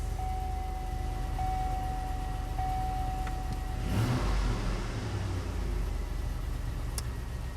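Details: 2005 Chevrolet Tahoe V8 after fixing a crank-no-start: harness wires rubbed through by the drive shaft had shorted and blown the PCM1 fuse; wires spliced and zip-tied. Starts and idles evenly with one throttle blip. Check engine light remains (P0449 evap vent).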